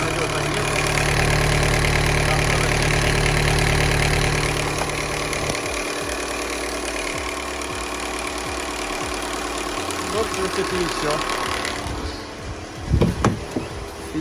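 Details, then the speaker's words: VW Golf 5 1.4 TSI turbo petrol, UK right-hand drive, 144 miles shown, run briefly without coolant so cold: starts and settles into a steady, even idle with faint valve tick, no knocks. "Заводим. Так, есть. Так, вот он у нас работает."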